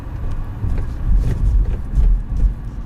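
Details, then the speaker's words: Nissan Rogue/X-Trail T32 driving over rail tracks after the front suspension squeak was fixed; the squeak appeared over bumps in cold weather below about 2°C. Only low tire thumps are heard, with no squeak or creak. "А теперь шума нет,"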